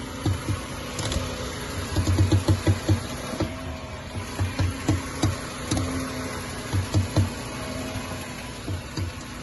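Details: Air-suspension VW Jetta (still on original bump stop) creaks when the steering wheel is turned: low, rapid creaking pops in clusters over idle hum, from strut mount, bump stop or bearing; can also come from wrong assembly.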